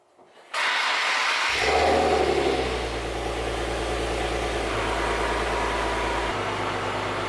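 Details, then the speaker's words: Infiniti G37 with newly fitted Invidia Q300 exhaust and Berk resonated test pipes, lowered: engine cold after sitting, catches cleanly, flares then settles to a smooth, even high idle with a quiet, clean note. Normal cold start. "all right so there it is guys a little startup video i didn't want to rev it too much just because the engine is cold"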